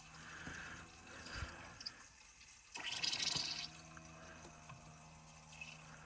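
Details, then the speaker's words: Airlocked central heating pump on a Potterton boiler system, not working since a pipe was cut and the system drained then repressurised; pump gurgles, bubbles and splutters, full of air and not circulating. Bleeding the system is planned next, flow sensor test if still failing. "But you can just hear the pump is all airy and not really circulating anything."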